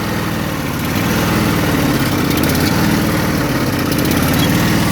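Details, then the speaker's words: Craftsman riding mower twin engine, choke still on: rough, lopsided idle with a lumpy beat and missing pulses; one cylinder is not firing, dead cylinder misfire. "Yeah, see, the one cylinder is not firing. All the bugs. Yeah, that's what's going on with it."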